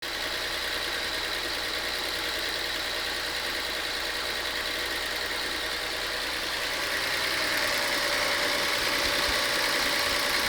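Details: Volkswagen Passat idling after timing work, steady light clicking about three ticks a second over the engine; owner unsure whether timing issue or lifter noise. Engine ticking at idle, cause not confirmed.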